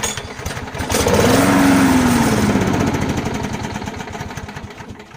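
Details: 17-year-old mower, just out of storage, with rigged-up supports, a shutoff valve and gasket trouble: the small engine catches and its rough chugging swells for a few seconds, then fades and dies; fires briefly but won't keep running.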